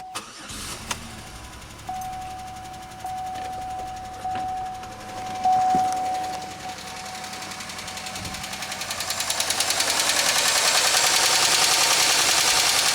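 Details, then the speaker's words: 2003 Pontiac Grand Am GT coupe with coolant-contaminated oil and low coolant, still runs and drives: cranks, catches, settles to fast even ticking about three per second at idle; suspected upper-end noise, likely not rod knock, cause unconfirmed. "That definitely sounds like upper end noise. I think that'd be a whole lot worse if it was a uh rod knock, but it runs so maybe it is salvageable."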